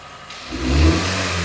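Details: 2018 Kia Forte 2.0 L four-cylinder, rough running, rattle, timing codes: engine climbs from idle and holds raised revs with an uneven, lumpy drone; exhaust cam over-advanced.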